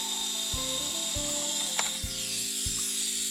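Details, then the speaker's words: Stock steering servo on a Traxxas Slash 2WD, powered from receiver slot one: buzzing motor whine jumping between pitches with ratcheting catches as it hunts without moving; stripped servo gears, to be rebuilt with a metal gear kit. "so you'll hear the servo is completely trashed like it's not doing anything so yeah we're gonna take it apart and see"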